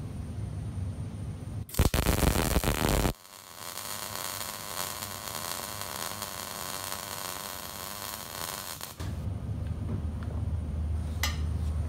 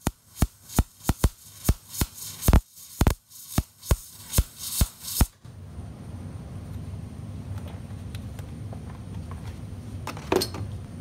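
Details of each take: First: MIG welder, second pass on the same bead: steady dense crackling sizzle like frying bacon, no widely spaced pops, indicating correct setup. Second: MIG welder, shielding gas flowing and voltage set correctly, wire feed speed set far too slow: harsh irregular loud pops two or three a second instead of steady crackle, leaving soot and a fat puddled bead.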